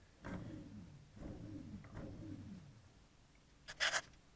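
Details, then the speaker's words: NTM Prop Drive 28-30S 900kV motor 3, spun by hand: three soft smooth whirs fading evenly, no clicking or grinding, very little wobble; healthy bearings, unlike the other two motors. "and then motor 3 seems perfectly fine very little wobble in it practically none and it spins freely and quietly"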